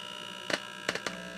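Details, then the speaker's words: Early-1960s Scott LK150 tube power amp (6550 outputs, 7199 preamp/phase inverters) on the bench with no input signal: low steady mains hum from the speaker with handling clicks; a finger on the input injects hum, showing the amp amplifies. "Well, that's an input, isn't it? So we're injecting your hum noise. And I've got my finger, so yeah. It's amplifying."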